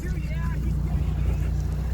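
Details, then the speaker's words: Holden VE SV6 Commodore sitting for months with little, probably stale fuel: low, uneven idle that lopes and wavers as if about to stall, with heavy smoke; rough idle, bad or low fuel suspected. "It's about to die it sounds like. Bloody hell. Doesn't sound very good."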